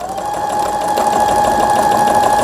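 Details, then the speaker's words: Brother Innovis 10 sewing machine after needle bar and auto-threader repair, straight stitching then stop: quick even needle chatter with steady motor whine, no knocking or catching; normal stitching. "이때 박음질을 시작하는 거예요. 스탑하고, 요게 이제 바느질 땀수라는 거예요. 바느질 이렇게 길이, 간격을 얘기하는 겁니다."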